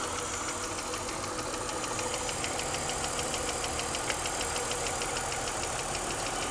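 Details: BMW 323i with freshly rebuilt and machined head (valve job) makes a sharp, fast top-end ticking/pinging, about three per second over steady idle, which got louder after the rebuild; cause unknown.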